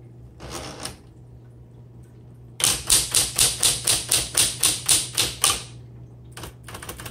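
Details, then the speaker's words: 1960s Smith Corona Electra 110 electric typewriter with manual carriage return, in a typing demo: crisp, even key strikes at about four per second with no grinding. The bell sounds good and the carriage is smooth, not gritty, so the machine is healthy. "The bell sounds really good, and the carriage is nice and smooth. It's not gritty underneath or anything."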